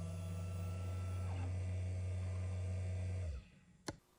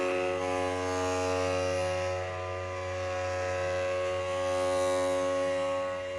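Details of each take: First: Matterport Pro3 camera, VDrive lidar mirror motor at an acceptable noise level: low, steady hum with faint higher tones, then a stop and a single click; normal quiet motor hum. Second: Early Matterport Pro3 camera, with a suspected VDrive (lidar mirror motor) fault making it noisier than normal: a steady, buzzy motor whine with a strong, even tone that cuts off abruptly.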